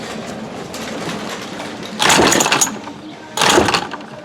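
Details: Remington Rustler RM2510 25cc curved-shaft trimmer with spark but suspected no fuel priming, damaged pull string and leaking primer: two sharp pull-start whirrs about 1.5 s apart, no firing; won't start, then the pull string failed.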